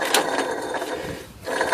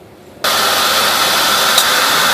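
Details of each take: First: 2001 Buick AC compressor with clutch plate removed, bearing grumbling for a year or two: gritty scraping grumble from the spinning pulley, rough rather than smooth; worn AC clutch pulley bearing. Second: 2001 Buick, engine running after AC compressor clutch pulley bearing replacement without removing compressor; old bearing had grumbled for a year or two: smooth even whoosh, no growl, chirp or squeal; normal.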